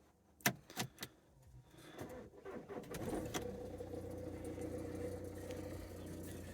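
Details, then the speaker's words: Cold start of high-mileage part-exchange car, about 212,000 miles, no history found in the car: keys rattle, short crank, engine catches cleanly into steady even idle, slightly vocal; normal cold start, no engine light but airbag light on. "Starts up. All right. Sounds okay. Let's get the fan down. Yeah, slightly vocal, but 200,000 miles, isn't there?"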